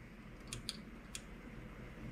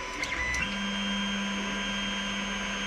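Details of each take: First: Creality Ender 3 Pro after upgrades to a silent 4.2.7 mainboard and a new hot end, auto-homing: barely a low hum and a few soft clicks, no stepper whine; smooth and quiet. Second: Creality Ender 3 Pro on stock non-silent mainboard homing axes: steady low drone with high stepper whine over fans; replaced by silent 4.2.7 board, which runs quiet.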